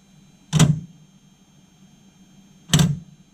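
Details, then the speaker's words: 2007 BMW X5 E70 converted from halogen to OEM bi-xenon headlights: two short sharp clunks about two seconds apart as main-beam power moves the shutter in and out; normal headlight shutter operation. "that's just the edge of the shutter you can hear that clunk as it uh moves in and out"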